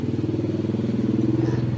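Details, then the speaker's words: Used refrigerator compressor converted into an electric tyre air pump with an added capacitor, drawing about 80 watts: steady low hum with an even, rapid pulse of about twelve beats a second and no rattle; runs smoothly. "Daya listriknya sekitar 80 watt. Sekitar 80 watt. Suaranya sangat halus, bukan? Tidak seperti kompresor bengkel pada umumnya."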